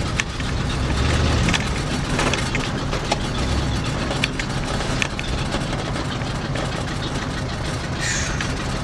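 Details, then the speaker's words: 1965 Ford Galaxie V8 driven after new spark plugs and wires: under light throttle the rumble surges unevenly, as if wanting to miss, but it is fine at full throttle. Cause unknown; the owner wonders whether it needs more gas. "you hear that surging and I don't know if that's just me not putting down enough gas maybe it wants more I don't know because when I when I hammer it no problem but light gassing situations like this it just sounds like it wants to miss"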